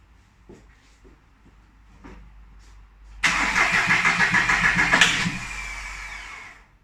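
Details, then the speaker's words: VW Polo 9N 1.4 TDI diesel after engine replacement: several seconds of weak cranking before it catches and clatters into an even idle; hard starting from air in the fuel system, cured by cracking the bleed bolt until fuel sprays evenly. "the reason why you could see it struggling to start is because like a fool there is a little there is a little bolt just here that bleeds out the fueling system so you have to crack that loose"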